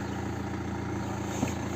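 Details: 2010 BMW 1 Series 118d, N47 2.0 diesel, started with live data connected after a loose DPF differential-pressure sensor hose was found: steady, even idle with a smooth low hum, no knocks or surges; running normally.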